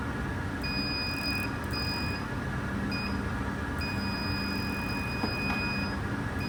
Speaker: There's a spot on the insulated shaft of this instrument where it failed the test.